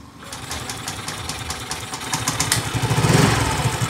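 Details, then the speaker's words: Yamaha Mio Gear scooter after repair of misfire and poor response (previously topped out at 30 despite full throttle): catches into a steady putter then revs cleanly to full throttle with no misses or knocks; runs healthy. "Okay. Subukan natin siyang i-full throttle. Tignan natin kung mapo-full throttle natin. Yan o. Gigil na gigil. Parang nakainom ng barako."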